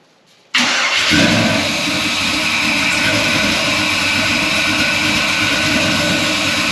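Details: First start of a restomod 1964 Ford F100 with a 6.0 L96 LS V8, Holley Hi-Ram and 700R4, after a new mandrel-bent exhaust with H-pipe and Flowmaster 40-style mufflers: quick crank, then a smooth, steady, throaty idle with no misses or knocks; a healthy start.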